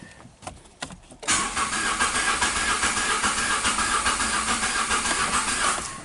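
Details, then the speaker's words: Engine cranked with the accelerator pressed, roughly three and a half beats per second with a slightly uneven rhythm; scope waveform shows cylinder number two dead on compression, cause not confirmed. "so that this waveform is letting me know that it's a dead holder number two why I'm not sure"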